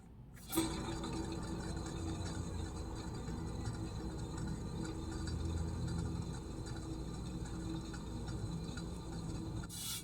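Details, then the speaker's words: Idler-wheel turntable/record changer platter coasting with motor off and idler disengaged; replaced thrust bearing between washers fitted without oil or grease gives a quiet gritty low rumble; dry spindle thrust bearing rumble. "now let's check the rumbling noise or the rumbling sound of this without grease now let's test this one without oil or even grease"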